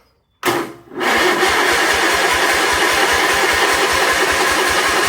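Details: 1976 Sears SS18 tractor: brief crank, then it catches on carb prime at half throttle and settles into a steady even thump about four beats a second; engine firing on the prime.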